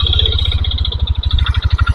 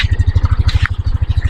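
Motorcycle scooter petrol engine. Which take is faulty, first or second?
first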